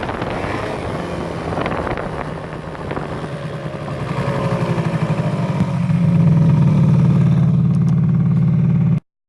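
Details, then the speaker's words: Aprilia SR50R scooter, Piaggio engine, after gearbox oil change (only 40–50 ml of 120 ml found); revs climb and a drone thickens and louders with speed at higher rpm; noise traced to original variator cover/pinion area, cause unknown. "also ich habe jetzt alles ausgetestet das geräusch kommt auf jeden fall von dem rätsel hier"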